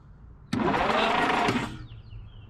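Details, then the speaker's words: 1962-64 Willys utility wagon, parked since 1997, plug with spark tester fitted, points not yet cleaned: starter whirs the engine over about a second with no firing; cranks but no start. "Okay, nothing as expected, but you know, just wanted to see just in case. You never know."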